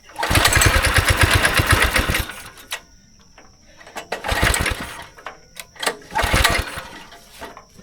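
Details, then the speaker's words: Go-kart engine not run for about 3 years, choke on, fuel on, primed, carb cleaner sprayed in: catches and runs rough for two seconds, dies, then short fading sputters; seems to run only on starting fluid, bad gas suspected in the fuel system. "Okay, it fired up for a second."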